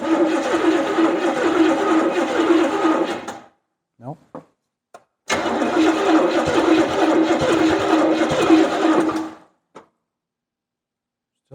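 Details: 1970 Buick Skylark, Buick 350 V8 with points ignition, first start attempts on a swapped-in engine of unknown state. Two bursts of steady cranking, about 3.5 seconds each, engine never catches; cranks but won't start. Cause suspected, not confirmed.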